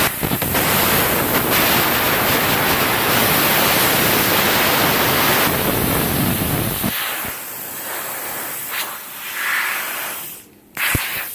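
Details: CUT50 plasma cutter using welder's earth lead: loud harsh hiss and roar that surges, drops out and sputters unevenly; erratic arc melting metal and consumables, cuts messy and inconsistent, cause unclear.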